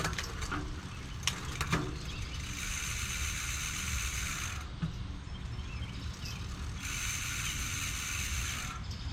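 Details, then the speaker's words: Sun Ringle SRC rear mountain bike hub after rebuild: crisp rapid ratcheting freehub clicks in bursts while coasting, even and steady, no longer slipping as before. "Hub sounds a little better. We'll see. It's not slipping like it was, so."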